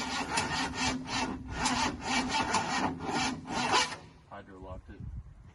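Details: 1977 Ford F250 truck with dual fuel tanks; rhythmic rasping slow crank about two strokes a second, uneven, never catches, then stops; turns over but won't fire.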